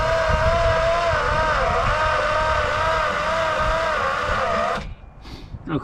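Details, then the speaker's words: 1962 Plymouth Valiant slant six, long dormant, first attempts on a weak battery with starting fluid: starter spins at a steady slightly wavering whir about three turns a second but never fires; no spark suspected. "I don't think we have a spark on this"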